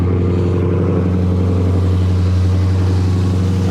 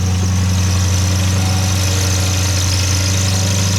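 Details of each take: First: 2015–2020 Dodge Charger/Challenger 392 Hemi cold start after water pump replacement: steady, even low hum with smooth pulse and no whine, knock or squeal; much quieter than before the repair. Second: Dodge Charger/Challenger 392 Hemi at idle, before repair: a constant thin high squeal rides over the engine drone from a water pump bearing that failed at 60k miles.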